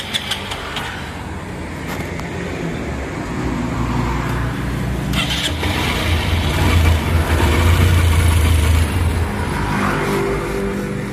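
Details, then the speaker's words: Small single-cylinder motorcycle after water was drained from the tank and the carburetor cleaned; it starts, settles to an even idle and revs cleanly without dying: normal running. "Ayan mga boss kita niyo naman umayos at umigi na yung unit ni boss"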